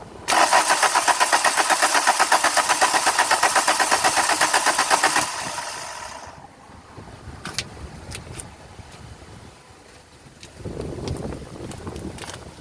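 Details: 2001 VW Cabrio GLX 2.0L: steady fast starter cranking about four turns a second for five seconds, never catching; crank no start.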